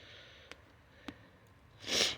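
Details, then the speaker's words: 1967 Chevelle tire punctured by hitting a stump, on a junk bald wheel with steel showing: short sharp hiss of air escaping at the bead over a quiet background. "when I move this car and drove it on my property here I hit a stump and it punctured it and you can hear that well that's the bead"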